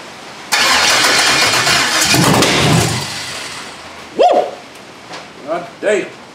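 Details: Foxbody Mustang LS V8 swap, standalone harness, first start on battery, rain on metal roof: starter cranks a couple of seconds, engine catches with a rough ragged roar, then dies away; transmission leaking fluid with no yoke fitted.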